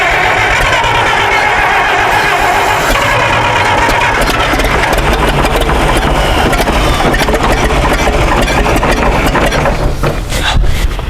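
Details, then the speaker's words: IHC 560 LP (propane) tractor that sat over 20 years, fed from a small propane bottle, having earlier sputtered and blown walnuts out the exhaust: it cranks and catches, then runs rough with ragged, fading firing; it has spark but is not getting fuel. "okay what do you think is causing so it's it's wanting to run and we got spark we got we're just not getting fuel"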